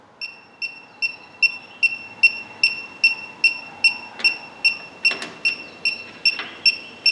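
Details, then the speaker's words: 1965 Chevy Impala with Classic Auto Air A/C, leak detector at fitting after tightening it: steady high double-tone tick about 2.5 per second, no alarm speed-up; no refrigerant detected, joint now sealed. "Alright, so already I'm having positive results. The same place I was detecting refrigerant earlier is now good, so that's a really good thing."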